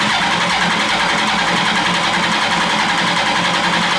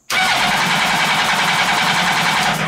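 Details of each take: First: Mini trophy truck build with motorcycle engine, compression test at wide-open throttle: even cranking about three and a half pulses a second, no weak strokes; cylinders read about 180, compression healthy. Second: Mini trophy truck with motorcycle engine, bypassed clutch: fast, even cranking for nearly three seconds with no firing; spark present but fuel pump not priming, owner suspects the pump relay.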